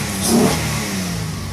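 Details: 1999 Honda Odyssey, previously crank no-start from bad spark plugs and a dead coil pack, after new spark plugs: engine picks up cleanly and revs smoothly without misfire, stumble or popping; runs healthy now.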